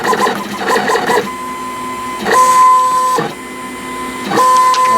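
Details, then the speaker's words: Decal vinyl cutter cutting an intricate design, about 15 minutes of cutting, after sitting unused a while: short bursts of whirring motor tones with stepping chatter and pauses as the head changes direction; the cutter is running normally. "outline oh that was about 15 minutes of cutting there must be quite intricate"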